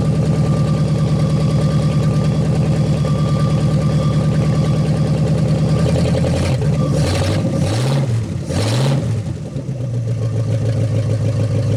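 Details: 1956 Studebaker Golden Hawk V8, first start in 50 years, carburetor and fuel pump working; steady even idle then clean throttle blips rising and settling smoothly; running good, needs a little fine tuning.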